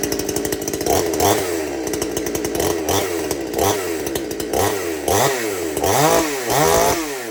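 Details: Chainsaw, one of several including a Stihl MS-250 and a Husqvarna 455 Rancher, already started that morning; the owner says it idles slightly fast when cold. It catches fast, idles crisply and blips cleanly with even revs and no stumble. Normal run.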